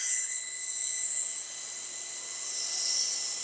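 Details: Steady, even high-pitched whine from a peripheral water pump on a test bench running properly after the valve is released, no crackling or gravelly cavitation rattle.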